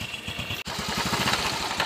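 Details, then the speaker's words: Honda Wave Alpha 110 motorcycle, other shops called the noise normal: quick regular idle beat with gritty rasp like grinding stones inside on every firing; engine to be torn down. "oh yan so yun yung tunog niya parang may naggiging ng bato sa loob"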